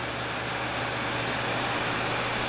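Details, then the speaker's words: Two Gainward GTX 580 Phantom 3GB cards in SLI under Folding@home load near 100%, fans at 80%, top card 85°C, close-up microphone; loud steady airy rush with faint low hum, even and unwavering, fans running hard but healthy. "I'll put you right up close so this is with the fan speeds at 80% okay so the fan speeds are at 80%"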